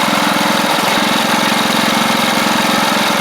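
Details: Troy-Bilt Pony riding mower with a replacement engine, idling: quick, even putter with a steady rhythm and no misses; idles cleanly, with a little smoke possibly from oil bits hitting the hot exhaust, less at low throttle.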